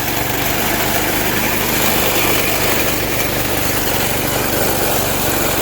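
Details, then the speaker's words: $6 auction Montgomery Ward reel mower with one forward speed and no safety features, started on a smooth surface with no attachment: steady small-engine drone with a busy rattle on top, no misses or surging, running healthy. "let's see if she starts up here with the camera here for a second see what happens so as you see we have one speed"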